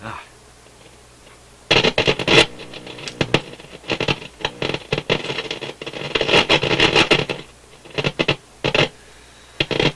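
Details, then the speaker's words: Motorola MK 56-H five-tube radio after filter capacitor replacement: irregular bursts of harsh crackle and static over a steady low hum; suspected untrimmed wire leads, not confirmed. "Okay. Well, we're going to have to hunt down what that noise is because it's too much even for doing a quick little test."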